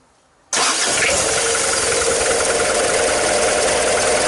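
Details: Mazda WLT diesel in a Ranger after VE injection pump swap, timing eyeballed, lines bled, pump filled with 2-stroke oil after sitting: starter catches quickly, settles into even clattery idle — normal diesel start and idle.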